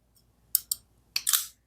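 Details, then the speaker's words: Ruike P801-SF flipper bearing knife, a couple of years old: two sharp clicks, then a click and short gritty grinding rasp as the blade closes on the worn bearing pivot. "as I close it, hear that grinding? So that is the problem."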